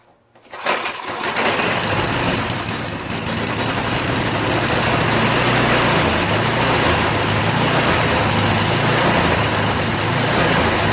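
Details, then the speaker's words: Troy-Bilt TB70SS 33cc two-stroke trimmer after carburetor reassembly: buzzes up to a high, slightly wavering drone that won't hold steady; runs well at high throttle but surges when throttled down, suspected remaining clog in the carburetor. "So it's still it's better, but it still surges a little bit."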